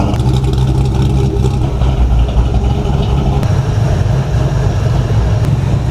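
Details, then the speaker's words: SN95 Mustang competition drift build on first start-up, exhaust not fully bolted up and cooling system not yet filled: loud, steady, deep exhaust rumble with an even beat, no knocks or rattles; normal running. "Fire it up one more time so we can do some cinematic shots while the engine's running and the exhaust is chooching."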